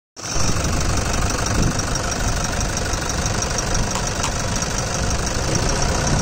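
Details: 2014–2015 Toyota Fortuner AWD at steady idle: rough rapid ticking knock riding over the engine throughout, pace unchanged; source not identified, engine knocking noise.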